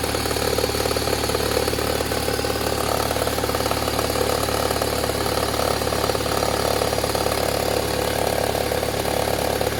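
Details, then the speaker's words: Toyota Harrier, 5S-FE engine, cold start after sitting: fast, fairly regular crackling tick, about three a second, over idle, easing off as it warms; present about four months and worsening; timing belt checked fine; cause unknown, once blamed on loose plastic. "Но как только заводишь на холодную, какой-то треск стоит. Сперва мне все говорили, что это просто какая-то неприкрученная пластмассочка. Но треск-то все увеличивается и увеличивается."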